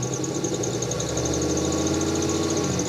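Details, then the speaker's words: Mazda-based Roadkill project car after overheating with water found in the oil, radiator refilled and bubbling; steady running with new whirring and rapid chirping noises that don't go away when revved, no clear cause found. "It's making weird noises it never made before. You can hear like a worring and a chirping in it."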